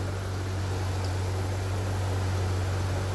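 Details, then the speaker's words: 1998 C5 Corvette back in the garage with the Sac City Coolit V2 fan controller removed after it never switched the fans on and the car nearly overheated; temp 194–196: constant low hum and even airy rush, both radiator fans running normally. "both fans are running so i'm pretty sure that was my"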